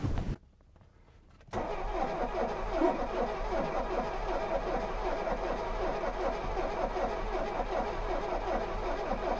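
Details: 1983 Mercedes-Benz 240D W123 diesel, sat for years, crashed auction car: steady starter churning about 2.5 turns a second with even compression pulses and no firing, no oil pressure on gauge at first; cranks but won't start.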